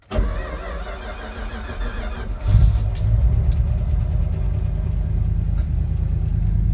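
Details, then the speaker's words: 1973 Dodge D100 cold start on a chilly day, unstarted for over a week, four throttle pumps: a brief crank, then it catches cleanly and settles into a steady, even cold idle with no stumbling; a healthy cold start. "Not bad. Not bad at all. That's surprising. Thought it was going to give me a little the ruffies."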